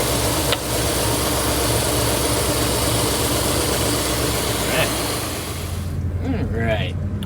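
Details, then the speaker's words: 1964 Ford Thunderbird at operating temperature after neutral safety switch adjustment and fluid top-off, before a test drive: steady, smooth, even low idle with no misses or knocks; running perfectly. "it's working perfect now smooth everything's nice fluids are all topped off"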